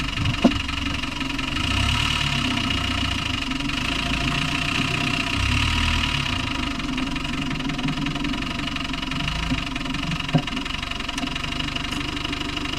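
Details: Land Rover Discovery 1 300Tdi diesel idling: a steady clatter with a faint recurring knock underneath. The source is unclear; engine knocking at idle.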